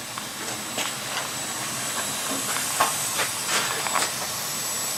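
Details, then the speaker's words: Steam boiler installed September 2021, with added main vent: soft steady steam hiss with only faint light ticks, no banging or hammering; running quietly and normally. "You can hear, listen how quiet this is. It's operating like a Cadillac."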